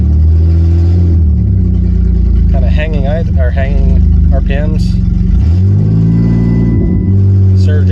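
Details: 2009 Dodge Grand Caravan SXT during alternator testing, throttle blipped: revs climb, hang high and surge up and down before settling; hanging idle, surging revs of unknown cause.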